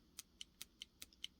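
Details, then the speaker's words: Worn motorcycle clutch basket with deeply grooved teeth, rocked by hand: sharp light clicks, about five a second, from excessive back-and-forth play, unlike a solid good basket; bad clutch basket. "back and forth. And that's not good. Okay?"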